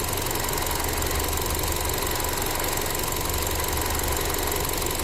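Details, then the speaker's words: Ford Transit Connect, cold and still warming up, idling: fast light hissy ticking about three a second; weak purge valve repeatedly hanging open and chattering when it shouldn't be on, causing random stalling; needs replacement. "it stays hung open over and over and over again you hear it it's spurting cu the valve is weak it's no good it needs to be replaced that's one way how you identify a purge valve"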